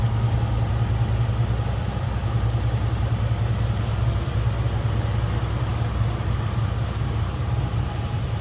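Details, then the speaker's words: 1979 Jeep CJ7 4x4, idling after a cold start: low steady smooth beat with no knocks, ticks or misses; sounds good, runs smooth, normal idle. "Sounds good, runs smooth."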